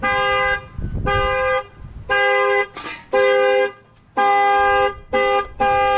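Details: Dodge Hellcat (1000 hp) after alternator replacement: the alarm goes off as the battery is reconnected, with the horn blasting in roughly one-second bursts about once a second.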